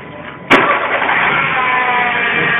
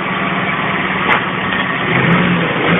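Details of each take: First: Citroën C3 at start and idle, before repair: a steady high whine like an electric motor rides over the idle, caused by worn accessory belt rollers (two, idler and manual tensioner); fix is replacing the belt and rollers. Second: Citroën C3 idling in neutral after replacing the accessory belt and its rollers: steady, even idle hum with no whine or squeal riding over it; accessory drive sounds clean and healthy.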